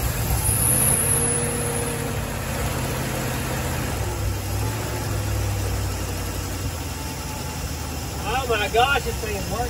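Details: 1974 Dodge B300 Minnie Winnie with a 360 V8, started after a new ballast resistor was fitted, still cold. A low, steady rumble settles into an even idle with no misfire or stumble. The engine runs normally after the repair.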